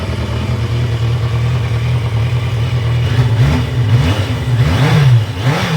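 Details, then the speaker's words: 1982 Yamaha Maxim 750 after ignition switch repair and replacement used stator: strong low exhaust note fires right up and revs cleanly through throttle blips, running normally. "So, that all works. Perfect. Fired right up."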